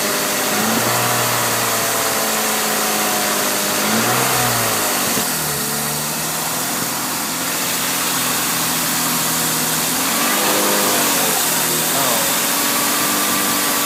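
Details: Exhaust leak at the headers found using Seafoam; headers to be replaced. A raspy puffing tick rides over the idle and speeds up with each rev, exhaust chuffing out near the headers.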